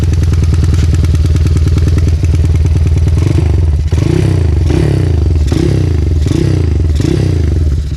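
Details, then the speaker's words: Megapro Primus with mini-bore spec (stroke 66, piston 63), carburetor tuned somewhat too rich, won't hold idle on its own: deep, loud, lumpy thumping rumble with uneven low pulses and surges on throttle; rich-running exhaust note. "Penyetelan karburator agak terlalu kaya. Di kamera, suara itu hanya terdengar seperti dengungan samar, mungkin saja."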